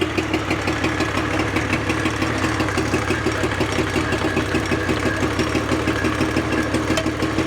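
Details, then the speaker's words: 1983 Evinrude 50 hp two-stroke outboard, after carburetor work: lumpy, uneven idle with a pulsing beat of about three a second and missing firing strokes; running on one cylinder. "that's running on one cylinder"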